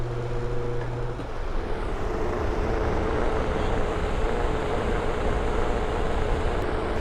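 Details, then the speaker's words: Broan/NuTone bathroom exhaust fan after its loose plastic squirrel cage was welded tight to the motor spindle: steady soft whoosh and faint hum, no wobble, rattle or rubbing; noticeably quieter than before. "what to see it's definitely quieter yeah that's what we're after"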